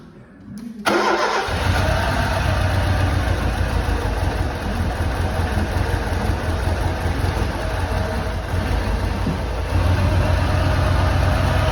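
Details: Lancia Delta HF Integrale barn car, first start after over six years unrun, following new fuel pump, cleaned fuel lines, four replacement injectors and fresh fuel: a couple of short cranks, catches, settles into lumpy uneven idle with slight misfire.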